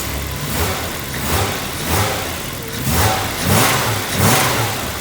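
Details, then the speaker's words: BMW E30 after new distributor, spark plugs and wires to cure misfire and bogging: repeated throttle blips climb and fall crisply without stumbling or hesitation; clean revving, no longer bogging. "oh yeah not bogging down anymore nice"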